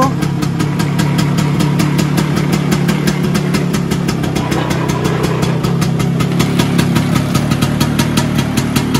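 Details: Vespa PX 125 with 177 kit, restored engine (new bearings, gaskets, piston, rings, lapped cylinder, first-gear parts), first start after a year on 2.5% mix. Steady, even two-stroke idle putter with a regular beat, no knocks or misses. Normal idle.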